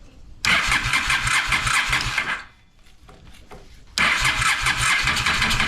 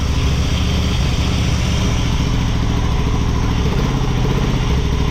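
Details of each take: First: Honda Shadow motorcycle (possibly 650) that sat almost a decade, cold start attempts on choke with fuel fed by syringe after float valve adjustment: three long tired cranking bursts without catching; slow cranking, battery running down. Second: Honda Shadow motorcycle (possibly 650) that sat almost a decade, after battery charge: deep thumping idle holding on its own, slightly lumpy while still cold on partial choke; normal cold idle, bad gas still in tank.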